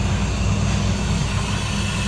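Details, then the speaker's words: Hoshizaki ice maker after its inlet valve fault, pump just started: steady even low hum from the pump and refrigeration running, no surges or rattles; normal ice-making cycle. "once it stops filling we're just going to be circling water across the coil and our refrigeration cycle is going to go while it produces ice"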